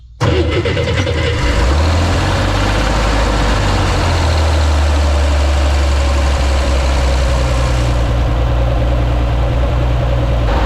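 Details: Corvair after installing an automatic belt tensioner: engine cranks, catches quickly and settles into a steady, even low idle with no belt squeal or chirp. Normal idle.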